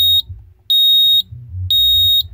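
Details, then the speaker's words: Security alarm panel sounding its fire alarm: loud, high-pitched beeps pulsing about half a second on and half off, like a house smoke detector but quieter; the fire alarm signal, silenced by passcode. "so the firearm is a pulsing and it actually sounds a lot like a house smoke detector except it's a lot quieter"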